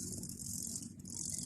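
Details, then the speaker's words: iPhone camera shaking and blurry, making a fast fizzy rattle with dense hiss while taking video and photos, like a loose camera module part buzzing in its housing; owner places a small magnet below the lens as a fix. "and it's making noise when you make video and photo yes so stressful"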